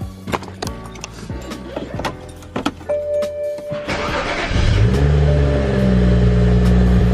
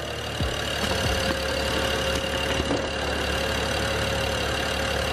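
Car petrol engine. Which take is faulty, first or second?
first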